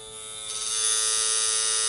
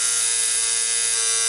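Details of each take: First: Coil tattoo machine running at 3.6 volts while pushing a needle: smooth, steady high buzz holding an even pitch, no stutter or rattle. Well tuned, normal running. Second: Coil tattoo machine on a practice mat: loud, steady high-pitched buzz with no change in pace. Suspected to be running too strong, not confirmed.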